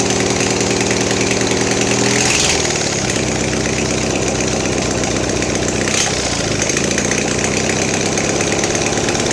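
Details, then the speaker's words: Mastercraft (MTD) 46" riding mower, Briggs twin, now fed by fuel pump: rough idle sags and bogs toward stalling each time throttle is opened; owner suspects fuel starvation, probably plugged main jet. "I'm pretty sure it's starving for fuel. It's not pumping very much. As soon as I try to give it some throttle, it's dying."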